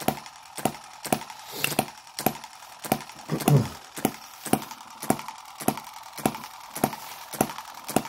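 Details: Microcosm M17 1.6cc model hit-and-miss engine being revived; it had been dying from over-richness and flooding, cleared by holding the exhaust open and turning it over. It now gives crisp single pops, under two per second, with quiet gaps: normal hit-and-miss running.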